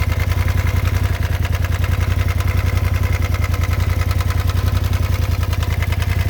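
Steady low idle with a quick, uneven clatter about three to four times a second riding on top; source of the noise unclear.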